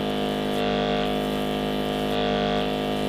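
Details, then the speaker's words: Cheap 12-volt portable car/bike power washer pump in use: loud, steady buzzing hum with a faint rasp, noisy but even; normal pump running noise, and it still gets the job done. "so yes it's noisy you know what if it gets the job done"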